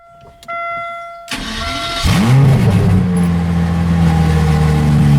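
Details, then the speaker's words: Aston Martin DB7 V12, freshly refitted engine with new injector O-rings, first start: brief starter whirr, catches cleanly and settles to a smooth, even idle; eager to rev on the lightest throttle; oil pressure normal, no leaks. "Et a une tendance à être particulièrement antousiaste à prendre de tours à la moins pression sur la pédale d'accélérateur. Impressionnant."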